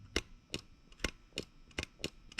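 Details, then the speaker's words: Yanmar 1GM marine diesel fuel lift pump being hand-primed through a long fuel hose, with the banjo bolt opened. Sharp clicks at an uneven pace, about three a second, as the diaphragm is heard on each stroke. Normal priming. "and you can actually hear the diaphragm in this case because I have such a long length of of fuel hose because I want to keep that as long as I can for use on the boat"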